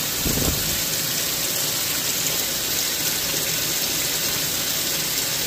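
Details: Washer bought for $50 that had something stuck in its pump, now running a clean-washer cycle: a steady rushing gush of water into the tub with no knocks or pump noise, so it is filling normally.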